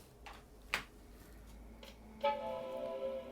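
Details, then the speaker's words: Macintosh Color Classic II from Japan after an analog board recap, logic board not yet recapped: one clear, bright startup chime at power-on, normal. "we're now chiming."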